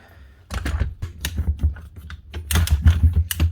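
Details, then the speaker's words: Virutex MC16L door lock morticer, reported faulty ratchet and struggling after 10–20 minutes: uneven ratchet clicks in irregular bursts as the handle is cranked, motor feed stepping down roughly each rotation; rough, sticking feed. "She's also stepping the motor down every rotation. So every time you go around with the handle, she's going down another step to actually take another cut off. It's just not acting very smooth."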